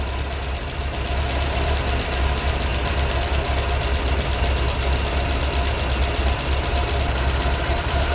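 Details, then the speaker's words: Warm Vauxhall Viva HC idling about 900 rpm, mixture just leaned using colour tuner: smooth steady low purr with no misses, dips or hunting; normal idle. "what do you reckon listen to that purring like a baby pussycat"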